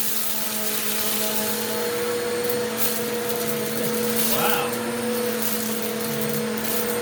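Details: Eureka The Boss Capture bagless vacuum after repacking two brushroll bearings and replacing the broken belt, on carpet with rice and oats: steady even motor hum with light debris ticks; runs smoothly and healthy.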